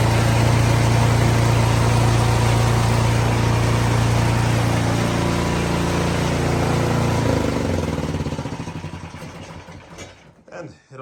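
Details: Cub Cadet 26-inch 3-stage snowblower after replacing chewed-up worn part that caused terrible racket: steady, even single-cylinder drone with no rattle or bearing noise before winding down; running normally.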